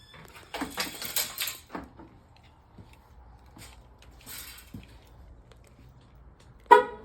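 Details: 2005 Dodge Ram 3500 Cummins with a no-crank, no-start electrical fault, battery terminals reconnected: handling and rustling, then one short sharp horn chirp as the alarm arms; after enabling the alarm the truck started.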